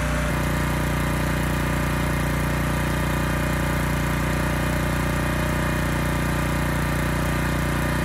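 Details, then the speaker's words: Honda EG1400x generator after cleanup, fitted with a new air filter: steady, even drone with no hunting or surging, running smooth and handling a 750 W load with no issues. "anyway this engine it sounds great it runs very smooth has absolutely no issues handling a 750 watt load"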